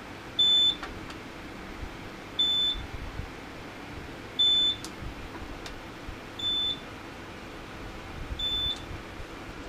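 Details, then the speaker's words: HP T1500 G3 1500 VA UPS running on a 36 V sealed lead-acid battery pack with about 400 W load, mains disconnected; single sharp beep about every two seconds over a quiet hum; on-battery alarm, possibly below operating voltage. "can't silence that alarm. It must be, as soon as the battery light's flash, it must be below its operating voltage."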